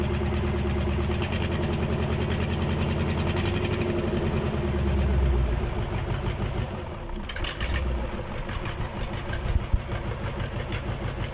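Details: KamAZ diesel engine on its first start after a major overhaul: it clatters into a steady, even idle with a deep low rumble and no knocks or misses. Normal idle.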